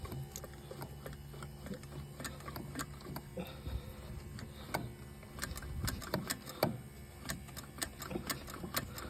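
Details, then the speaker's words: 1973 Mercedes 280C not run in 30 years, key on, temporary electric fuel pump feeding from a gas can to the carb since tank fuel is old; quick busy ticking with engine off, pump working and delivering fuel. "we'll turn the key on go check the pump yeah I hear it pumping"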